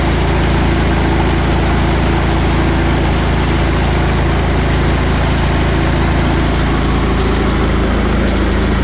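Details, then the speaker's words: Old Allis Chalmers tractor stored for about 20 years, started on choke: the engine catches and settles into a steady, even low chug with no knocks or misses, running fine after long storage. "So, she fires. That's something after sitting for 20 years."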